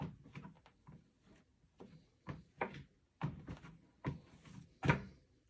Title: Lifespans TR1200B making noise like there is a soft spot on the deck when the weight shifted. 2w old